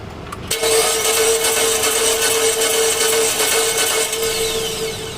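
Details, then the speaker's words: 2011 Mitsubishi Eclipse 2.4L that died while driving, crank-no-start, timing cover off: starter spins engine fast and evenly with steady whine and no catch while timing belt doesn't turn; belt likely missing teeth, stripped timing belt. "So hopefully you guys saw that. Timing belt doesn't turn."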